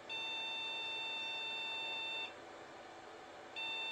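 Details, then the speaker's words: First (bottom) jukebox mini Pentium PC at power-on: a long high-pitched beep of about two seconds, a pause, then a repeat. It is failing its power-on self-test, and the cause was left uninvestigated. "that's 2 weeks that means it's not happy so rather than like spend a lot of time working out what's going on I'm just going to move on to the next one"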